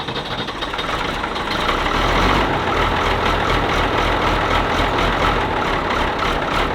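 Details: Ford TW25 turbo diesel tractor just after filter and oil change, cranked with stop out to oil the turbo, then started; fires and settles into a steady, even idle with a regular clatter and no misses, running normally.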